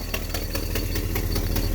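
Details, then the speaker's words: 1980 GMC truck V8, first start on new MSD HEI distributor before timing set: even light ticks about five a second over a steady, lumpy idle; owner suspects the aging alternator making noise. "Yeah, it looks like that alternator is getting a little long in the teeth. She makes a little noise."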